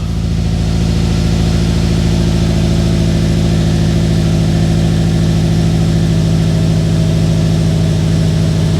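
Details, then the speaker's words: Subaru WRX 2.5 turbo, freshly assembled engine after oil priming, first start: steady even low idle with no knocks, ticks or misses; oil pressure light goes off, sounds good. "Oh boy, let's try her. Oh, it sounds good. Oil pressure light went off."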